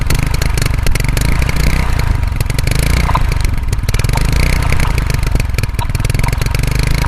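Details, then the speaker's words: 35-year-old Hero Honda CD100 Deluxe motorcycle started after sitting unused 5 years: loud steady single-cylinder thump with a bit of mechanical clatter but no misfires or knocking; old engine idles fine. "Finally start ಆಯಿತು. ಒಂದ್ಸಲ start ಆದ್ಮೇಲೆ tension ತನಗಿಲ್ಲ, ಮತ್ತೆ ಇನ್ನೊಂದ್ಸಲ start ಮಾಡ್ತೀನಿ ನೋಡಿ."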